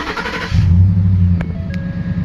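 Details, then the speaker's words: 2013 Ford F150 after ignition switch replacement for intermittent no-start and BCM code B10F1-14: short crank, then prompt catch and smooth, even low idle; starts and runs normally, key play still suspect. "if I just tap it it'll work so that's probably another electrical issue but just showing that she runs"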